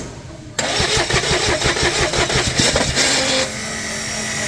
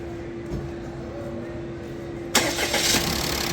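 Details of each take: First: Toyota Passo with long starting and P0335 crank sensor code: uneven chattering crank with a free-spinning whine rising then falling before it catches; starter drive slipping, dropping crank sensor signal and setting the code. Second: Toyota Passo after repair of slow, noisy starting (codes P0335/P1604): slipping starter gear, non-original spark plugs and low fuel pressure fixed. A faint hum, then it starts almost at once and runs evenly.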